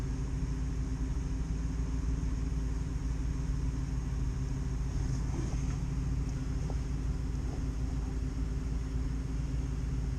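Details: Takeuchi TB135 diesel mini excavator started after glow plugs with jump cables from a truck because of a weak battery; low steady rumble settling to an even idle with no stumble or knock: normal idle.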